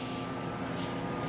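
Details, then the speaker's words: GoldStar Intellowave microwave with door opened very slightly: steady whirring cooling fan and faint constant synchronous motor hum, no magnetron buzz; fan and turntable motor run with door ajar though magnetron stays off, cause unknown. "i mean the i can i don't hear the magnetron on i just only hear the fan and the little uh motor under there the synchronous motor besides that the magnetron is not on so there's no actual hazard"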